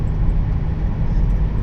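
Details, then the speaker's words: 2000 Chrysler Grand Voyager at 55 mph on the highway after replacing noisy wheel bearings: low, steady road rumble with no rising hum or growl from the wheels; normal highway cruise. "55 is dead silent. Oh yeah, this is nice. Yeah, those were really bad."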